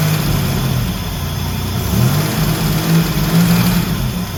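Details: First start of the 1984 Grand National after the engine rebuild (rebuilt 140 block, fresh cam), coolant just filled: steady low V6 rumble with a slight rise and fall in revs, settling into a smooth, healthy idle.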